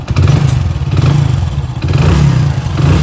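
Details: Hero HF Deluxe single-cylinder bike after engine rebuild (about 80,000 km actually run), at idle: steady even thump with no knock or rattle, sounds like a new bike; normal idle.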